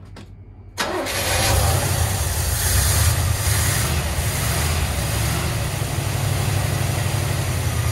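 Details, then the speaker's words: 1981 Chevrolet Corvette Turbo stored for 30 years, first start after adding petrol: it catches after a short crank and settles into a steady, even idle. Oil pressure good; runs nicely. "[Music] she's running very nicely oil pressure is good"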